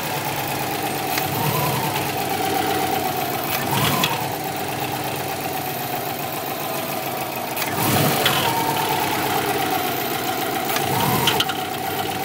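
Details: 2002 Subaru WRX, 176,000 miles, with a replacement EJ20 engine of about 70,000 miles; aftermarket cat-back exhaust, inlet pipe, intake and BOV, untuned. At idle: a loose knock about three per second plus heavier thuds. Owner suspects the turbo or a spun crank bearing.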